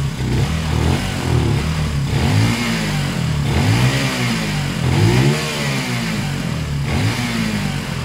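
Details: Zontes 125 single-cylinder, warmed up, choke off, after fuel tank flushed of rust, twigs and water (carb had blocked despite filter): picks up smoothly through several throttle blips and settles without stumbling; running normally.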